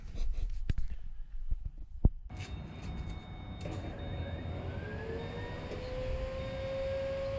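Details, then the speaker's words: Blower engine's first start on a new tune after swapping in a new TSP blower cam (third cam swap, replacing an old Texas Speed cam): clicks, then it catches into a steady low rumble with blower whine. Owner hears more tone. "Oh, man. Yeah, that sounded freaking crazy. I ain't gonna lie, I did not expect it to be like that. Some of you might say it sounds the same, but I can definitely tell a difference."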